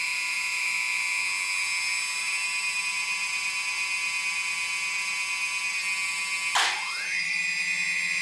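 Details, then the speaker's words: DJI Phantom Vision/Phantom 2 after T-Motor Antigravity motor conversion, speed increased from idle: high steady whine broken by sudden thump as pitch plunges, then recovers; motors cut out at high throttle, issue seen only on Vision/Phantom 2. "all right I want to make sure that you guys heard that uh that sort of thump uh the engine sort of cut off"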